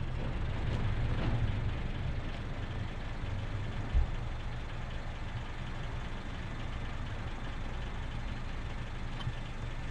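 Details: Honda Civic turbo build (cheap eBay turbo), first start after a year of building, with the oil line routed into a cup to check for oil. Low, steady rumble after the catch with no knocks or misses, then even running.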